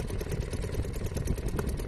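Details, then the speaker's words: Restored Seagull 40 Plus outboard running in water at the beach after warm-up: steady low burbling beat, even with no misses or knocks; normal running. "Yeah, it's beautiful. It's doing everything it should. I mean, I assume it's doing everything it should. Sounds good."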